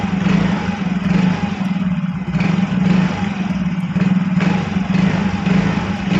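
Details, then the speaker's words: Yamaha Fino automatic scooter test ride after CVT repair: steady even pull with no shudder on take-up, judder cured; judder is typically from dirty clutch pads or clutch bell at the secondary pulley; normal clutch engagement. "Oke kang Bro posisinya sudah saya coba jalan dan hasilnya untuk gredeg sembuh Kang Bro"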